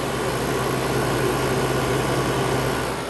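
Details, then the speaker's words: Whirlpool air conditioner after owner cleaned it: compressor running quietly, even low hum with steady fan rush, no rattles or knocks; lots of heat coming off; normal operation. "it's actually pretty quiet. And I can feel a lot of heat coming off of that."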